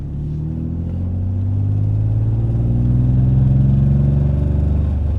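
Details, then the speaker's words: BMW E30 with S50B30 swap on its first drive after a refresh: six-cylinder pulling through the revs with a light, fast exhaust-leak tick that can sound like a misfire but is not. "I can hear that exhaust leak ticking a little. So, if it sounds like it's misfiring, it's not. It's just a little tick from the exhaust."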